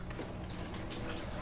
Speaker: So let's plug her in, see if it all works. Kind of excited. So, oh, I hear it. I hear it